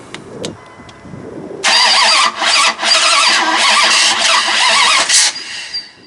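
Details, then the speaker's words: Freshly rebuilt Mopar 360 small block, Dodge Ram 2500, first start: engine catches and runs ragged with repeated dropouts and stumbles; ignition timing still off, still a slight miss but much improved. "well so far he is uh having a timing issue issue getting it to run proper um still having a little bit of a Miss but he did get it a lot better than it was"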